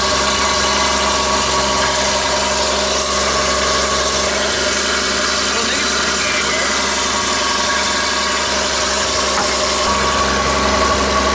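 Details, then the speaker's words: Engine at idle, fans on: a thin, tinny metallic rattle over everything. The power steering pump has been ruled out, and intake resonance amplifying engine vibration is suspected. "tell me it does not sound good no you just hear rattling over everything you just hear metal it's not the power steering pump we checked that already"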